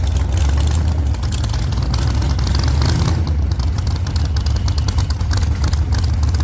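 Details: 1948 Chevy Fleetline small-block Chevy V8, 4-speed, after a presumed fix for push rods breaking on the first burnouts: loud deep V8 bellow through open headers, holding strong under burnout load, no ticking or clatter, valvetrain sounds sound.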